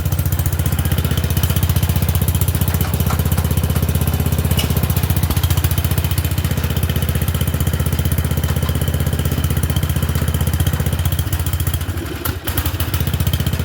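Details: Murray Select 30-inch single-blade riding mower after fitting a new air filter in place of one the owner thought was badly plugged: a steady, fairly even idle at about four pulses a second with no misses. It doesn't run too bad and is burning junk off.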